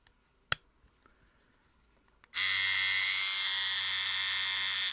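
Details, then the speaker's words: Trimmer: after a click, a thin, raspy high buzz runs about two and a half seconds. It sounds harsh and is not cutting, though it did a minute earlier. "that sounds awful here and it's not cutting this is not cutting it did a minute ago"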